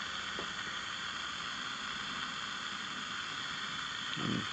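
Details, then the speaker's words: Sony Handy Personal all-transistor table radio under repair: steady static hiss with no program audio, louder when a cap is jumped out; suspected transistor fault rather than the capacitor, unconfirmed. "Everything makes it a little the static a little bit louder. But yeah, I don't think it's that. That sounds more like a transistor problem."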